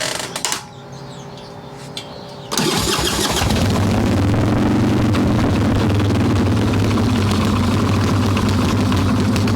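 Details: Harley Evo Softail V-twin, carbureted, warm, choke plate off, loose intake bolts and cracked vacuum cap, mixture screw seated: catches after a couple seconds cranking, then lumpy uneven idle; rough idle from intake air leak.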